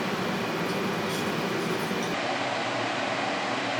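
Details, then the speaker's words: Constant, even drone from large crypto-mining farm cooling fans running day and night, heard inside an apartment through an open window in the evening; no change in pitch, fans running normally. "Вот так гудит эта дрянь."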